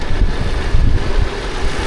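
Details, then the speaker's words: Volkswagen Tiguan after replacing the leaking thermostat housing/water pump assembly and refilling about 1.5 gallons of coolant: steady low rumble at idle, no knocks, ticks or misses — normal idle. "And it runs great. Turn it on. There it is. Car is running."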